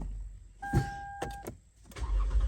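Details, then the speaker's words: 2011 Toyota Highlander with no start/no crank caused by the ID code box shorting the bus line: brief chime and clicks, then the engine catches and runs evenly; normal start while the module is forced awake. Fix is replacing and programming the ID code box. "crank it right back up so need 9 code box I'll get one program it and that'll be it uh for this vehicle"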